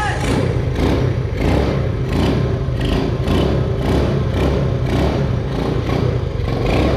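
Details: 1974 Honda Trail 90 (CT90) single-cylinder, sat since 1984, first start after fitting a new spark plug: it catches and settles into a steady, even popping idle while still in gear; runs normally, though the idle needs bumping up a little.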